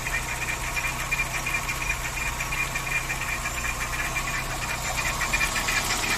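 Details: VW Saveiro G4 AP 1.6 idling with valve cover removed: sharp metallic tapping about three per second over the engine; owner suspects pulley or timing belt, top-end knock not pinned down.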